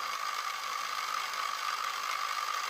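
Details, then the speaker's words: FLY Renault 5 Turbo 1:32 slot car after lapping the crown and pinion gears with whitening toothpaste: a steady, even high-pitched whir at slow speed with no catching or stutter; the gears now mesh smoothly. "you can even hear yourselves that sounds a lot smoother oops the the grease flying there guys that's that's a hell of a lot smoother isn't it"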